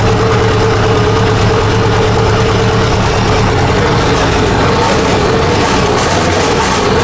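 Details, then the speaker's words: Nissan S15 revival, first runs after fuel system work with the exhaust off except the dump pipe and half the intercooler plumbing off; loud open-pipe idle with an uneven, stumbling beat, not running on all four cylinders; dead cylinder misfire. "But yeah, I see what Alex means. It's not running too good."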